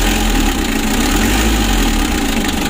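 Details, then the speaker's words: Mitsubishi L300 diesel, warm, revved: loud rough uneven roar with heavy blow-by, compression leaking into radiator with bubbles, engine shakes and was hard to start; heavy blow-by from worn piston rings. "kencang sekali ya untuk ngobasnya sudah lumayan banyak ini ya"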